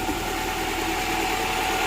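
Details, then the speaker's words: Honda Prelude after manual transmission fluid change, power steering fluid change and bleed, plus earlier clutch and flywheel work for slave cylinder noise: smooth, even, quiet idle while warming up, no knocks or rattles; healthy. "It's pretty quiet now. And we'll get to the right temperature here."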